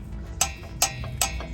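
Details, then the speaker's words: Volkswagen rear brakes: hollow clacks, four in under two seconds, sharp metallic knocks as loose rear pads shift in caliper over bumps; missing anti-rattle clips/adjusters. "hace mucho ruido las balatas andan sueltas aquí deben traer un ajuste pero no lo trae"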